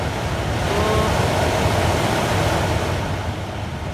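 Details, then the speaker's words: Astra TwinTop heater blower motor refitted after fixing a squeak and motorbike-like noise caused by the motor sitting at an angle, run on speeds one to three: even air rush over a smooth motor hum, no grinding or squeal, normal running. "no horrible grinding noises no horrible squeaks i think we have done it"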